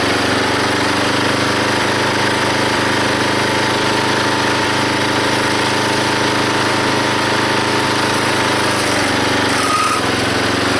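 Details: Log splitter engine driving the pump by belt, after fitting a homemade spring-loaded idler arm because the belt flew off: steady drone deepening slightly under splitting load, no squeal or slipping, hardly any belt slip; normal running under load.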